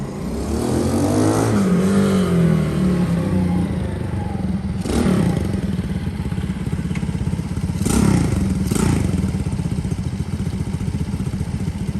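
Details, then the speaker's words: Honda S65 custom motorcycle fitted with a 140cc four-stroke Lifan engine, put back on the road after long storage, ridden in a parking lot; small single pulls cleanly through rising and falling revs with steady putter, no knocks or grinding, running normally though lacking hoped-for power. "so it runs nice seems to ride nice but i was hoping to get maybe a little bit more you know ump out of the engine"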